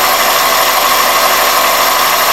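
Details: 2001 Toyota Corolla at idle: steady high whistle, intermittent on throttle blips, unchanged with the belt or IAC valve removed; an intake air leak, fixed by cleaning the dirty throttle plate and IAC valve and fitting new OEM throttle body and IAC gaskets.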